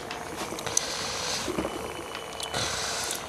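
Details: Reverse osmosis diaphragm booster pump after being opened and refitted to reduce its loud noise, water flowing in and out with good pressure: even, light pump hum with water rushing through and no grinding or rattle; normal running.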